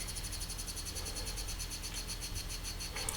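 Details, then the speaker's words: Failing 2TB hard drive from a six-drive RAID 5 NAS. A fast, steady, high chirping pulse over a faint hiss, like a snake, with clicks, before the drive stops spinning entirely: a dying hard drive. "i just wanted to share with you all what it sounds like when a hard drive is on its way to the coffin wait for it there's the click"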